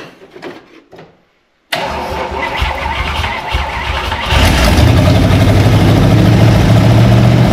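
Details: 1956 Oldsmobile 88, long-stored, restarted after doing the plugs and filling the carburettor bowls: cranks, catches and settles into a steady idle with an even, low-pitched beat of about four pulses a second, running smoothly.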